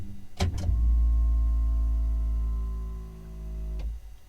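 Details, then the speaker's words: Ferrari F430 F1 transmission hydraulic pump recycling after shifting through gears with the engine off: two quick shift clicks, then a steady electric pump hum for about three seconds before stopping cleanly; normal, quick recycle, though initial priming took about 10 seconds. "right, so that's not too bad. It recycles pretty quick."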